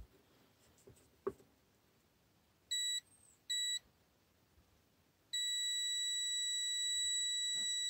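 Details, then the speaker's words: Multimeter continuity test on a Dodge Caravan purge solenoid valve coil: two short beeps, then one long steady high beep, showing the solenoid coil has continuity and is not open circuit. "we set our reading multimeter to continuty you see this cool speakers symbol and we're tastiness Dodge Caravan still annoyed see you it has a continuity yes it does solo no it is okay it's not open circuit"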